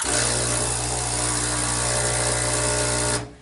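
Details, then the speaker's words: Breville 800ESXL Duo-Temp Pro espresso machine (15 bar pump) just switched on: steady loud buzzing hum with a low drone until it cuts off; normal, the pump is filling the machine with water to heat. "noise is very normal some people might be a little freaked out but that just means that the pump is working it's pumping water into the machine so that it's hot enough"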